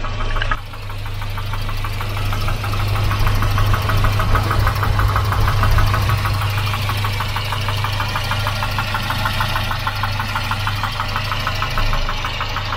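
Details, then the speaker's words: Volvo 240 Redblock B230 four-cylinder at idle: hollow, regular knock about three per second, loud and persistent, slaps regardless of temperature; piston slap. "it slaps like that no matter the temperature a bit too much really yeah it's just a bit too loud"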